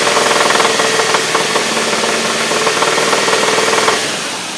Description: Is it a lifter, valve, or timing chain? Anybody recognize that knock help me out :) thanks